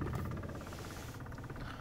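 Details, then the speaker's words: Car AC blower on low speed: a low droning hum with a fast, fluttering buzz on top that goes away when the vent is pushed up. Still present after a cabin filter replacement; cause not found. "I have a problem with my fan I don't know it's making a loud noise when it is on low"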